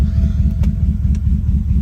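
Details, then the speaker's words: V8 (code read shows misfire later logged on cylinder 8) idling with a deep, uneven pulse and occasional dropped beat; random misfire completely random across cylinders, owner wonders about a bad injector. "but it's random completely random across the cylinders that's what doesn't make sense"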